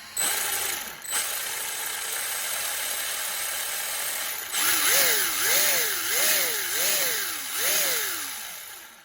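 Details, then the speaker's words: Maverick Strada XT RC car after repair of factory-misaligned pinion and spur gear and loose outdrive grub screws: high-pitched motor and gear whine rising and falling in five throttle bursts, smooth with no grinding or skipping; normal gear mesh. "i'm going to show you that running nice and smooth now with the the pinion and the spur"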